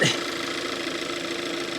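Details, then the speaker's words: 2014 Kia Forte EX at idle with the drive belt removed, run briefly: steady high squeal persists, so not belt-driven; owner suspects a vacuum leak or loose hose, source unknown; engine squeal. "there's no belt yet it squeals bad what is that man what is that I can't let it run long because it doesn't have the belt on it but"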